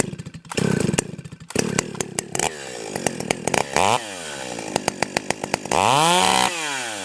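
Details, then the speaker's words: Stihl 028 AVEQ chainsaw cutting a log, high-speed screw turned in about half a turn: bogs in the cut, then revs way up to a thin climbing howl when pulled free before going rich again; high-speed mixture too lean. "okay hopefully you could hear that uh as soon as I pulled it out of the cut you could hear it rev way up and then it finally started going Rich again"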